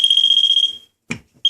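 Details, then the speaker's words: Moisture meter probing water-stained drywall panel beside a sink after incomplete mold remediation. A steady high-pitched electronic tone holds, cuts out, then sounds again, reading 100% saturated. High-moisture alarm. "Once again, dry should sound like this, which is nothing, and this is very wet."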